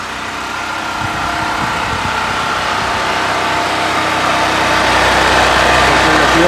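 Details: Brand-new Harbor Freight Predator 4375 W (3500 W continuous) generator, first start after choking, in garage: steady even drone with no misses or knocks, running healthy.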